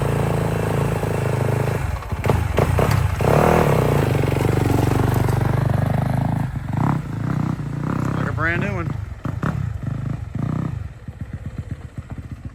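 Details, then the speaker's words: Small two-stroke dirt bike fired up for a test ride after chain repairs: pulls and revs cleanly through the ride with no chain slap or knocking; normal running. "You want to fire it up and take a little ride on it, see how she does?"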